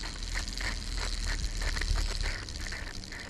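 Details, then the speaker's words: Shimano Stradic 4000 XG spinning reel cranked by hand: rough, scratchy grind pulsing with each turn, gears feeling like they slip; failed ball bearing found inside, rebuilt with new bearings and main and pinion gears. "reason being when you crank the handle on this thing it just feels like the gears are just missing and grinding and as you can hear"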